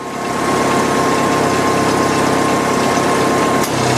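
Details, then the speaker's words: Steady engine idle with faint whine, then a sharp click and new low hum as the AC compressor clutch kicks on in a Jeep XJ being recharged with R12; it cycles on and off while underfilled. "when you're filling them, it'll cycle on and off a lot until it gets enough pressure in it, and it'll stop doing that."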